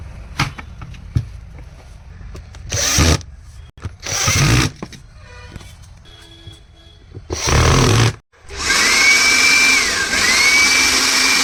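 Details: Bosch blower after replacing a failed 629 bearing that caused internal noise: a few test bursts, then a smooth, steady high whine with no grinding, normal running.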